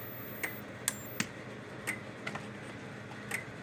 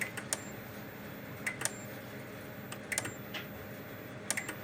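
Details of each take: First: Kencove KF13000 electric fence energizer on test before repair: sharp dry clicks about once a second in a quiet room, the transformer discharging pulses, showing both boards are working. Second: Kencove KF13000 dual-output remote-capable fence energizer under test after repair with a tester across output, reading about 12.5 kV on the tester (probably nine to ten thousand volts): sharp even snap about every 1.3 seconds with faint double tick, no hum or dropouts; normal output.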